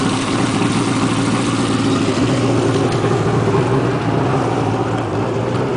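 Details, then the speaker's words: Two-stroke jet ski just started, warming up with no throttle since gas would stall it: a steady, raspy two-stroke drone holds even with no stumbles or misses. Normal cold idle. "Now, as soon as you start it up, you still don't want to give it any gas because that is going to stall it. It needs to warm up. It's a two-cycle."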